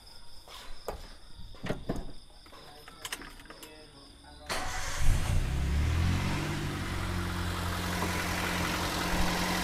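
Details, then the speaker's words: Toyota Avanza, previously rebuilt engine, on first start: uneven idle with light knocking and a putt-putt from a leaking exhaust. The scan suggests a loose or mistimed timing chain, suspected. "suaranya ada atakaknya ada brebet-brebetnya karena knalpotnya itu juga bocor jadi ada bluk bluk gitu"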